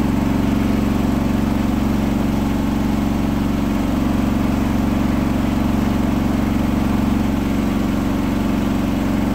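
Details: Hotpoint washing machine final spin at 1400rpm after a rolling bath sheet fooled the balancing and was thrown to one side: loud steady high-speed roar with rhythmic thump and drone, unbalanced load.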